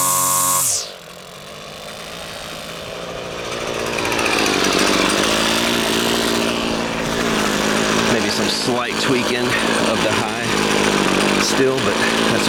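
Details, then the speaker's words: Husqvarna two-stroke string trimmer after its carburetor was disassembled and reassembled (diaphragms serviced), tested with the air filter off: revs from a quiet idle to a strong, even high buzz and holds steady without bogging. Normal running after repair. "it yeah a okay I think that's got it I think that's got it"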